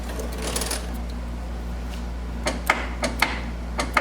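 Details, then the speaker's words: 1979 Chevy G20 van, fuel tank selector valve grounded to the frame to test it: crisp clicks, several in under two seconds, over a steady low hum. The selector valve is switching properly. "I hear that. That's gotta be the switch."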